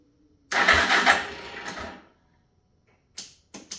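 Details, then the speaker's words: 1985 Suzuki LT300 quad cranked in neutral after cleaning the starter connection: sluggish, growly cranking barely turns the engine, catches a moment, then only weak bursts. The starter is bad and was later replaced. "And did you hear how growly that was? Yeah. So, it doesn't have enough to turn it over."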